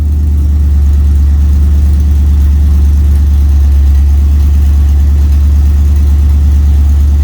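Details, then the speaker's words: LS-swapped OBS truck V8, cold start after a spark plug check for an earlier misfire: deep, steady rumble at a raised cold idle, even beat with no miss. Sounds way better; normal cold idle. "damn it sounds way better see how this stuff is working that's not bad cold start"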